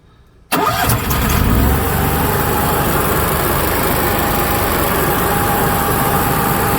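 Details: Onan Cummins HGJAB QG 7000/5500 generator restarted after its float bowl was drained and re-primed, fuel pump knocking until primed: quiet, then it fires at once and settles into a steady, even idle; normal start.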